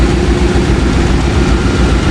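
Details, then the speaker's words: Jeep ZJ Grand Cherokee 5.2 V8, first start after replacing a howling, leaking water pump with a smoked bearing: smooth, steady low idle, no howl or rattle; much quieter than the old pump, which sounded like spoons in a blender. "Oh man, that's much quieter. It sounded like spoons in a blender. That was rough."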